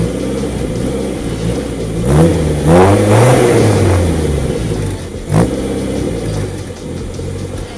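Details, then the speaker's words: 1989 Austin Mini 30, stock 998cc engine with only electronic ignition added, standard exhaust, about 70,000 miles: start-up and blips, revs rise and settle cleanly, even note with no knocks or rattles. Normal running. "so there you go guys that was the start up of my mini 30 as you can hear nothing's been changed"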